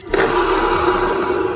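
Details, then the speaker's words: Honda Beat fuel-injected scooter after a full service and test ride: steady, rough mid-pitched hum and rattle from the CVT, coming from the worn slider pieces and the worn bearing. "Untuk bagian CVT dia itu ada bunyi-bunyi karena memang slide piece-nya juga udah kena ya dan juga bearingnya udah kena juga nih."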